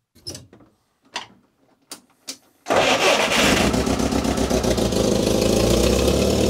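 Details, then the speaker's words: UAZ 452 Bukhanka engine restarted after oil change and compression test (low but acceptable compression), spark plugs refitted: a few knocks, then catches at once and settles into an even, steady idle with no knocking or misfire; oil pressure same as before (about 2–3 bar cold idle). "so with the spark plugs back in and the wires and so on next step is actually to start it up and see if it still makes oil pressure it did before"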